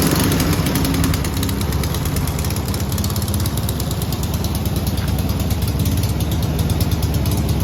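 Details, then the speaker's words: Garden-find 1970s Volkswagen bay window campervan, air-cooled flat-four, first start off the key in over 30 years after seized engine freed; steady even low chugging with busy mechanical clatter, no misses; normal running, van then driven. "Well, that went 10 times better than I thought it would. I can't believe the van has actually drove for the first time in 30 years or more."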